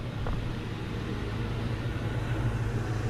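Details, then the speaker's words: 2003 Ford Mustang GT V8 with MagnaFlow exhaust idling smoothly after replacing a throwout bearing that failed in under 4k miles; previous rattle from underneath is gone, deep steady rumble, normal idle. "my God you have no idea how much the throttle bearing was making that noise and now she's idling so smooth there's no rattle on the bottom hell yeah hella worth it"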